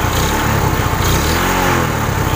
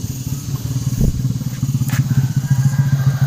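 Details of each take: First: Suzuki Shogun 125 cold, fault: dies and loses ignition when hot, weak pulser suspected: cold start, even idle and clean throttle blip with no misses; running normally while cold. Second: Suzuki Shogun 125 that starts normally cold but dies when hot, kick-started while hot: rapid chuffing around eight pulses a second that never catches; no spark, weak pulser coil.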